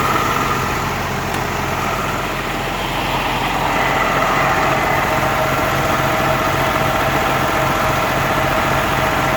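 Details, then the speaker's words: M35A2 with Cummins diesel swap idling too high after bumping the idle screw; runs steady and even but fast, with a busy drone. Owner says the governor springs need tightening a couple of clicks to drop the idle. "that's still not it's still not right it's idling too high"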